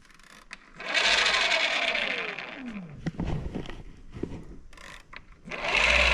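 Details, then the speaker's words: Bafang BBSHD mid-drive under pedal assist: motor whines up then drops in pitch with a free-spinning whir and no drive taking up; owner suspects over-greasing with moly grease on the nylon gear roller clutch made it slip. "you can hear something it sounds like something is just like spinning freely like over"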